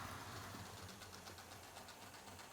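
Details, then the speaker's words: Rivarossi Illinois Central No. 382 Casey Jones model locomotive hauling coaches: quick, even ticking from motor and wheels with strained, slowing beat; owner suspects a glued-up bearing on one of the coaches makes it labour. "I don't know if the bearing has gotten a bit glued up or not on one of them because we're struggling a lot more now than it was"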